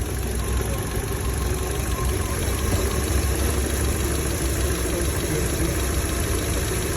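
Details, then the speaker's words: Chevrolet Lacetti/Cruze petrol engine idling steadily with a light, fast ticking from the fuel injectors, judged normal injector noise and not an engine knock. "tiếng này tiếng bình thường. Tiếng động cơ con nào nó chả kêu tiếng kim phun tạch tạch tạch tạch. Không phải gõ đâu mà."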